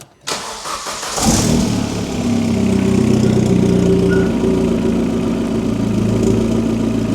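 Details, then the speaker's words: Astra VXR, cold second start after fitting a 3-inch turbo-back exhaust with a fiddly V-band clamp at the turbo and downpipe, run without the resonator. Loud idle with a raspy puffing chuff; exhaust blowing at the downpipe joint. "Still blowing like fuck. Jesus."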